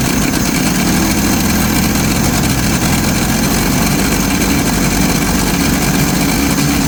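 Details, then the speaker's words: 1990 Jeep YJ 4.2L 5-speed, after a new fuel pump and work on five spark plugs: low, uneven idle with a rough, loping note and no clean rhythm; owner suspects fouled plugs, and the new pump is leaking; rough running. "yep I don't know seems like it's still not wanting to run very good even though we got"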